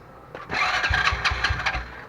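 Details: Motorcycle hard starting: brief labored cranking with uneven low thumps before it barely catches, traced to a fouled spark plug; starts on one click after cleaning the plug.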